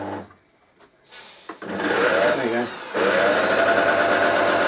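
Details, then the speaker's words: Vintage Hoover 160 vacuum motor bench-run on another field winding: struggles to a low, wavering, crackly whine, far too slow, visible arcing at the bottom; faulty armature. "sounds like you know not turning the tour there it's going it's going but it's not fast enough it's far too slow it's not running properly"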